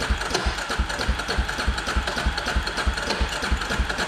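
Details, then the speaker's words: 2003 Polaris Predator 500 with fouled, rich-running spark plug removed, compression tester fitted and cranked by key: slow, even cranking thumps about three per second with a dull clunk; only 110 psi, weak compression. "okay, that doesn't sound that great when you spin it over. And looks like it only has 110 psi."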